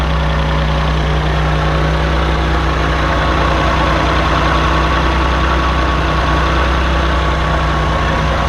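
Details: 1984 Maserati Biturbo with a fuel-injected engine swapped from a 1989 Biturbo and a new fuel pump fitted for hesitation. Smooth, even low idle rumble with no misses or knocks, settled and quieter once warm after a choked cold start.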